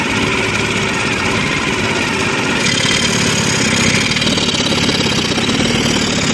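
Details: Engine that is spraying oil and jerking; loud clattery running with an irregular stumble in the beat as it misfires. Cause not evident from the sound alone.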